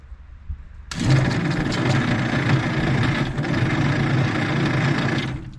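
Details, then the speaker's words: Slow, uneven cranking at about three and a half labored turns per second on a 1950s Galion 503 motor grader that sat 10+ years, with oil added before cranking; weak electrical supply suspected. "kind of slow yeah I got another battery and jumpers if we need it"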